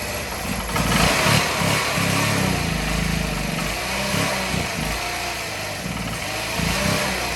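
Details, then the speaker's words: Old Honda Elite 80 scooter on the bench, no throttle cable: uneven, lumpy putter with irregular low beats over a loud exhaust, running but not firing cleanly; owner thinks it needs exhaust back pressure. "hey there we go it doesn't sound very healthy but it's running one up three"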